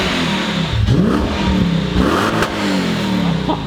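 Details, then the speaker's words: Lexus IS300 with swapped 3UZ V8 and custom exhaust, revving after an exhaust leak at an unwelded V-band joint was fixed: deep even burble, no puffing; a rattle still remains. "Oh man, it's crazy what an exhaust leak does. Holy cow. That's way better."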